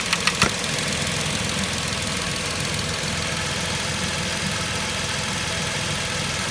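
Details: 2010 Vauxhall Corsa 1.0 Ecoflex three-cylinder engine, rattle traced to worn inlet manifold swirl flaps; with the swirl flap vacuum pipe pulled off, idle is smooth and even with no tapping after a brief click, so the engine sounds healthy.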